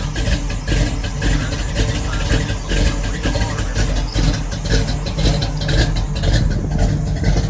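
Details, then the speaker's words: Loud, steady low idle with an even, throaty pulse and no misses or knocks, with the car back running after a new Brawler 650 double-pumper carb and new spark plugs. Rpm is unknown with no gauges; normal idle. "Alright, man. Y'all see Shorty back running again, giving me a headache, man."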